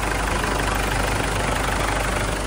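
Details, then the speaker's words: Ford Everest after fixing the loose washer on the hydraulic timing belt tensioner: steady, even idle with a smooth low rumble and no metallic rattle; the clinking is gone, not fan belt or idler bearings as suggested. "Hindi na maingay. Ang masasabi mo, sir? Wala. Wala na yung kalansing. Wala na yung kalansing."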